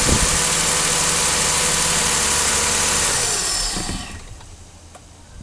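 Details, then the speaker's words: 2004 Toyota Avalon 3.0L V6 started cold right after a spark plug replacement with Bosch double iridium plugs: smooth, steady fast idle with no misses, then the sound falls away. High idle is normal when cold and drops once warm. No check engine light. "you can see running great fires right up now the motor is cold that's why it's idling so high it's very common for these they'll they'll start out pretty high in idle and then they'll drop down once they warm up but running smooth"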